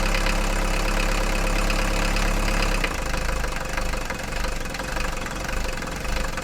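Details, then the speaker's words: Mercedes 240D diesel after fuel injector repair, bleeding injector lines and valve lash adjustment, previously clanking and smoking heavily: catches and settles into an even, steady idle clatter, no clanking, misses or smoke; normal diesel idle. "now yeah this sounds really really nice now there's no clanking whatsoever"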